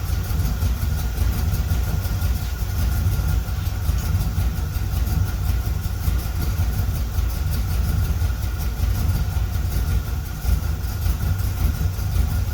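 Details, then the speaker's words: 1976 Corvette Stingray V8 first run in 8–10 years, fresh filter, idle screw turned up, warming up, oil pressure good: steady, even low rumble with no misses, knocks or hunting. Smooth, settled idle that ran pretty well. "but I'm going to call it a win because it fired right up and ran pretty well."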